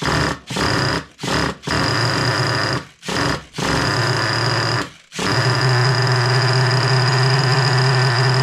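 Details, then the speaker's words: Small high-revving nitro engine (3.3) after fuel tank cleanup and gasket replacement; fires up but buzz keeps cutting out every second or so before catching, won't hold idle. "So, I'd appreciate if you tell me what you recommend for my situation where it won't idle."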